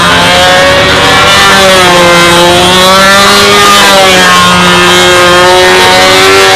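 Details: RC model airplane engine on takeoff, set very rich to get lap times right with this prop: high buzzing note wavers and sags in pitch, uneven and burbly; rich running, prop pitch to be reduced.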